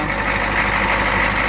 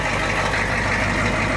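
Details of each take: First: Ford F250 diesel in cold weather, just after a hard cold start; it starts worse than the owner's Cummins does at 5°F. A leaking fuel return line lets fuel drain back to the tank. Loud, fairly even clatter with a whistle; keeps running. Owner plans an inline heater. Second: Diesel truck idling after a hard start; too much ATF poured down the intake had partially hydrolocked it, and the battery is charging. Steady, even idle with a low rumble and clatter, no misses or knocks; sounds okay. Owner plans a heater.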